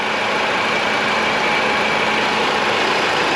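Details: 2010 PT Cruiser, Chrysler 2.4, engine rebuilt after a broken timing belt, scanned with no misfires or codes: smooth, even idle hum with no stumbles or skipped beats. Normal idle.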